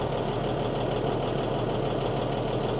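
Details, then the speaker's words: Mercedes-Benz 911 4WD diesel truck, just started after sitting about 8–14 years: steady, even diesel clatter at settled idle, no misses, knocks or hunting; good oil pressure building, normal healthy idle. "And she's got good oil pressure. It's building there. Unbelievable. Sounds amazing."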